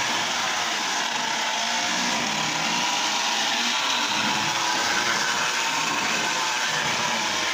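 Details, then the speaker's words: Lionel Tie Jector toy train after repair running: steady, even high buzzing whir that never changes pitch; owner suspects oiled nylon gears are noisy and plans adding a little grease. "I think I can quiet those down just a little bit. Um, I think that's those nylon gears and they're oiled."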